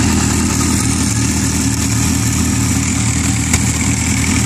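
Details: Yamaha R6 idling: busy metallic chatter of the timing chain slapping because the worn screw-type spring cam chain tensioner can't hold it taut; chatter changes when tensioner screw is turned by hand.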